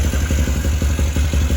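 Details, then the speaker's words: 2013 Can-Am Maverick 1000R at idle with covers off: loud, fast ticking about six a second over a deep twin-cylinder idle from the primary CVT clutch, gone when revved; check engine light on. "You can hear that like ticking noise. That's just the primary clutch. Like if I rev it up, you don't hear it."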